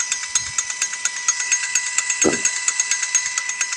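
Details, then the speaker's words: Used Lewmar V700 anchor windlass for a C-Dory 22, rebuilt and lubed, bench-run in reverse on a 12V car battery with DC motor polarity swapped: even, steady whirr with light regular ticking, no grinding or catching; spins freely, normal running. "Spinning freely, sounds pretty smooth. So I think this thing really checks out, and we're ready to put it on the boat."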